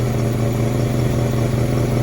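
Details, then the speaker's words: 1956 DeSoto Firedome Seville 330 Hemi V8, first start after engine rebuild: deep, even idle with steady low burble, no knocks, misses or hunting; battery charging, engine running smoothly. "well finally the doo fire Dome V8 Hemi brand new engine American engine fight it out this morning look at it how smooth it"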